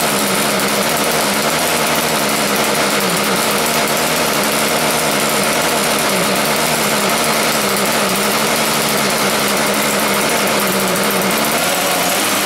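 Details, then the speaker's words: Schwinn Stingray motorized bike two-stroke, cold start after carburetor cleaning, run from a small temporary tank: buzzy drone whose pitch wanders and surges; runs on its own but needs carburetor adjustment. "so sounds like it needs a little bit of a carburetor adjustment there give it a try again"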